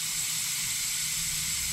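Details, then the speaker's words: 2006 Ram 2500 with 5.9 Cummins, boost leak tester pressurizing the 4-inch turbo intake: loud steady high-pitched hiss of escaping air, a large boost leak; symptoms were poor fuel economy, higher EGTs, lost power. "we're going to listen for some hissing there's ten oh my something is no no way i should have seen that one [Music] that's a huge leak"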